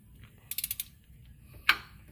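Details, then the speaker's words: Pontiac 3.6 L timing chain with cam phasers, engine turned by hand from the torque converter: light ratcheting clicks, then one sharp, solid phaser pop. It is louder on this bank, and the chain is now tight. This is a normal cam phaser snap. "you hit that pop on that side that was a nice solid pop watch this side your hair allowed a pop all right here it go I should pop see it's a louder pop on this side now the chain is tight"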